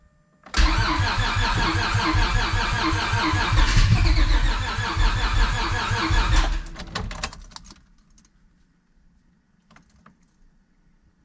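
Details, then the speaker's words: Honda Civic hatch with nitrous stroker V6 swap, first start on new ECU base map tune, throttle applied: starter churns steadily with occasional uneven catches for about six seconds, then stops; cranks but won't start. Owner suspects base map needs changing. "I might have to get a different base map this one's getting us close but not quite there you guys we are so close it really wants to go"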